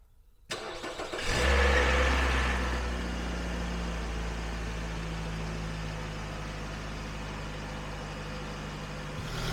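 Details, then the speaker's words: Nissan Rogue bought cheap with a reported major engine noise, long parked, started after a cooling system refill; a short rough clatter at cranking, blamed on no oil pressure after sitting, then a smooth, even idle. The startup noise is brief. "It sounded weird when it started up, but there was no oil pressure and it was sitting here for a long time, so I don't think I care about that sound, but or that noise, but it runs really nicely now."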